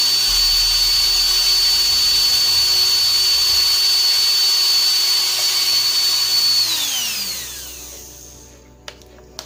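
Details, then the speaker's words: Rewound 12 V DC RS-550 motor from NRT Pro DC 330 cordless drill on bicycle battery, steady high whine at about 22,000-25,000 rpm then smooth spin-down; normal motor run. "so it's more or less around 23, 24,000 or 25,000 RPM, friends, OK, so that's pretty fast for a motor dynamo size like this, DC 12 volts like this"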